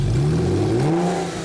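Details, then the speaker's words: Porsche 911 revved with the silencers removed, during catalytic-to-header gasket replacement. A sharp rising rev with a raw, booming exhaust note that climbs and settles; loud because the silencers are off, but otherwise sound. "Now, what I'd like to do is vote on whether you think I should run it without silencer. So, would you like the car to sound like this?"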